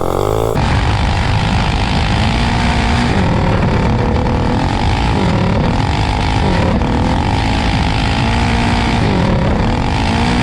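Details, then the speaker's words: GTS minibike with a Predator 224 engine climbing a hill on a cheap generic 16-tooth clutch, already oiled: the engine revs up and wavers under load while road speed lags. The centrifugal clutch is slipping and throwing sparks. "yeah now you can hear it slip when you get on it"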